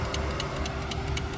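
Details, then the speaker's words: Range Rover Classic that broke down at 25,000 miles and then sat 10 years, key on after the starter-solenoid feed was bypassed. Rapid irregular clicking from under the dash over a steady heater fan hum: a relay chattering, cause not yet traced. "There's a relay down here that is unhappy about what I'm doing."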